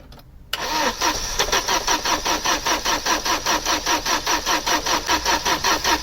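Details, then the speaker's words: Opel Omega A GLS 2.4i CIH estate, parked in barn since 2003, fresh battery, has spark and fuel but old petrol: starter churns about 2.5 beats per second, no cylinder fires; crank no start. "It's got spark and it's got fuel. Let's see what happens this time."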